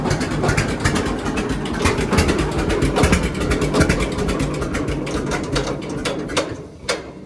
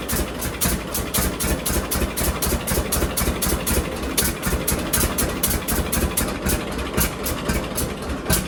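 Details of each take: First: John Deere D two-cylinder tractor idling on new Autolite plugs before gapping them to the 0.030 in factory spec: slow, stumbling beats with missed pulses. Misfire at idle, blamed on plug gap; D's never idle perfectly. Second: John Deere D two-cylinder tractor idling after both Autolite plugs were cleaned of black deposits and re-gapped wider, toward the 0.030 in factory spec: slow, even pop-pop of about two beats per second, no skips or backfires. Normal idle.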